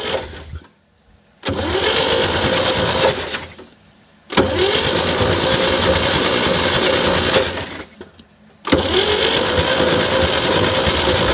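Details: 1960 Chevy C10 235 six, sat 40 years in a fence line, starter swapped: three steady cranking bursts with uneven compression beat; compression later found on 3 and 4, little or none on 1, 2, 6, suspected stuck valves; starter works properly.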